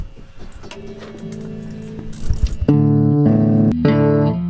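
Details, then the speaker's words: Mesa Boogie RA 100 guitar amp with EL34 tubes: played guitar notes carry a buzzy rattle from a loose, microphonic power tube, even a brand-new tube; dusting and other checks didn't fix it. "it wasn't the tubes in the first place i knew too but it still is the tube making that sound"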